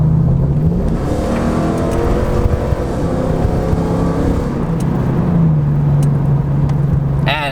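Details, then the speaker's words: Ford F-150 with a 5.0 V8, replacing a disliked 3.5 EcoBoost V6, accelerating onto the freeway with the loud exhaust removed: a smooth, fairly quiet V8 note rising steadily in pitch, strong and even with no misses; normal acceleration. "now you can hear you know it's pretty quiet um but you know that this thing has way more kick to it than the 3.5 did"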